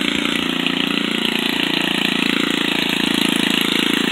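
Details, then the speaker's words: Old salvaged Craftsman edger small engine running at steady speed: fast, even buzzing putter with no misses; it runs, though the very old, clogged air cleaner was the problem and needs replacing. "You hear it? It runs. It's in desperate need of an air cleaner."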